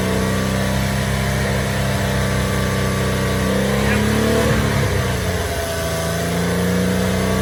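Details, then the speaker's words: Porsche Boxster 986 with eBay aftermarket exhaust, just after dB killer motorcycle inserts were fitted to cut drone; recorded from a short distance, steady idle then a smooth rev of about four seconds, raspy tone with no heavy drone; normal exhaust note. "that sounds different. It's got more of like a raspiness to it, which is good, I think."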